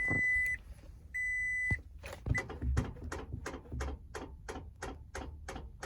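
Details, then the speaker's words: 2006 Toyota Tacoma 4WD, battery and terminals checked and cleaned, jump failed: two chimes then rapid dry clicking about three times a second with no cranking; starter suspected failed, intermittent beforehand. "So it's a click, click, click, click, click, click, click, click. So I checked all the battery connections, the terminals, cleaned them off. I think the battery's good. I just think it's the starter."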